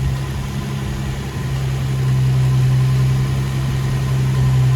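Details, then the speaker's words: Infiniti G35 coupe VQ engine idling with AC on after cooling fan part replacement that fixed knocking/rattling; steady smooth low hum, no banging or knocks. Normal idle. "yo quiet no banging no nothing perfect perfect perfect perfect that's what i'm talking about"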